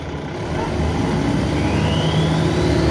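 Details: Arriva Alexander ALX400 Dennis Trident 2 bus 5431 (W431 XKX) on route 24 to Luton: steady diesel drone with thin whistle climbing in pitch as it pulls away, called loud turbo whine by uploader; cause unconfirmed.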